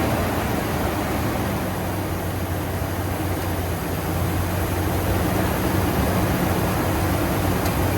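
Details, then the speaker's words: Ford F-250 Super Duty after replacing the alternator whose bearings squeaked: even steady idle with a smooth low hum and no squeak or chirp from the belt side; squeak gone. "Truck's running good now. His squeak's gone."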